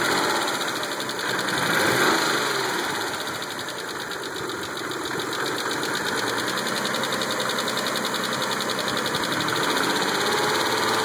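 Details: Mitsubishi 3000GT jump-started with a jumper box: fast, light ticking about four per second over a steady idle, suspected lifter tick; severity unknown.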